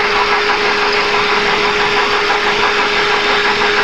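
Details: 2011 Kia Forte engine heard through a stethoscope near the water pump pulley: "kek-kek" noise, a steady hum with a dry, gritty rasp over the running engine; traced to a worn water pump bearing.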